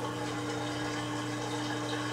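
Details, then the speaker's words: Kenmore (LG) 5-year-old 796.41392.511 front-load washer draining a tub filled above its HE level using every valve, so the drain takes a while: steady humming pump with constant tone and gurgling water; normal drain pump. "just going to wait for this to finish [Music] draining now it's taking a while because remember I used every single valve to fill this machine up to like above its high efficiency"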